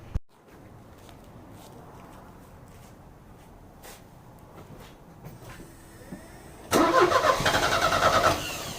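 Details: Euro-spec Mercedes 190E 2.0, 5-speed manual: long quiet cranking, then it catches and runs ragged, stumbling and missing beats; misfire from the spark plugs. Two were pulled and cleaned, and one is thought completely fouled.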